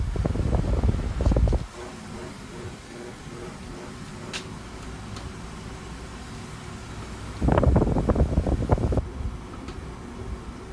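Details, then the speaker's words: Freshly cleaned Duracraft pedestal fan switched to high speed: soft, even whoosh and low hum between handling noises, no rattle or ticking; fan quiet on high, normal running. "when that shuts off of you guys I'll show you guys what I mean that this F's pretty silent on a high speed"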